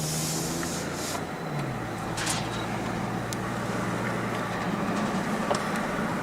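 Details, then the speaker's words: Chevrolet Trailblazer with ABS codes C0035 and C0244 that barely accelerates from a stop: a steady low droning growl under road noise whenever turns load the left front tire. A worn front wheel bearing is suspected, unconfirmed. "Every time I load that left front tire up, I really hear the growling. I hear it a little bit on that one, but nothing like I do the other one."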